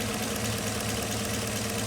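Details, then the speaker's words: 2015 Chevy Camaro with codes P0206 and P0300, idle: uneven, lumpy beat with a knocking shake under the drone from a misfiring cylinder 6 due to a failed fuel injector. "Aquí vamos a encender el motor para que se vea la inestabilidad en ralent"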